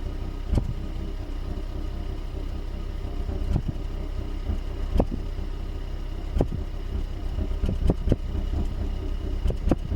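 Low, steady idle broken by irregular thumps every one to three seconds, an uneven stumble that points to a misfire of unknown cause.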